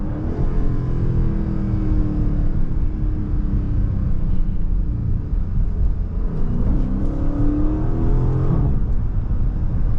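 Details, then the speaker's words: 2023 Dodge Charger Scat Pack Widebody Last Call, mid-muffler delete, driven hard: tonal whine climbing with revs over heavy exhaust rumble, owner likens it to a supercharger; source not pinned down. "Bro, it's like I got a fucking supercharger. No cap. My shit be whining. Like, I don't know if y'all can hear that or not, but my shit really be whining, bro."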